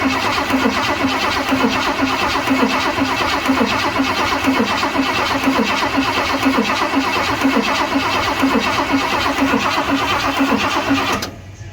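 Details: 1978 Ford F100 Cleveland V8, first start attempt in 6 years: even cranking about eleven seconds with regular compression pulses, never fires; cranks but no start, fuel delivery suspected.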